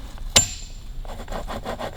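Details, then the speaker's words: Kawasaki KH750 gearbox on the bench, shaft turned by hand: gritty, rough rasp pulsing with each turn, rumbling instead of spinning smoothly; bearings worn out. "here it it starts really rumbling so actually nothing else on it if it's doing that and making a noise you know the bearings are shot"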